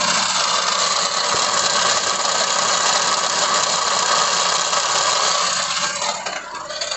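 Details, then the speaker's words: 2016 Ford EcoSport with the 1.6 Sigma engine, idling after start: a harsh, fast metallic rattle because the starter motor pinion stays engaged and does not retract; confirmed on the bench, where the starter has to be pushed back by hand. "Só que, porém, ele continua atracado. Ó, tem que pisar na embreagem, vira a chave e dá na partida. Ó o barulho que o carro tá fazendo."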